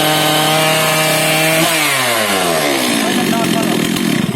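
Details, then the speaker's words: Two-stroke chainsaw warming up after a decompressor-valve start: screaming high fast idle drops smoothly to a steady lower idle once the throttle is blipped; revs normal as it warms. "पनि नर्मलमा आयो भनेपछि अब तात्यो।"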